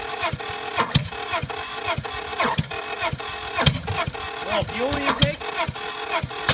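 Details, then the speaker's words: Honda Civic with coil packs in and valve cover off, heated with a torch, cranking: uneven cranking with sharp intake backfire pops, won't start; only one or two of four cylinders have compression, owner suspects frozen water bent valves. "it's backfiring out of the intake"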